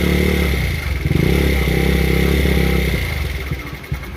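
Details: Cheap Taotao GY6 50cc scooter, first run: revs uneven and sputtering, sagging and faltering; owner suspects a vacuum leak and a badly sticking carburettor; rough running.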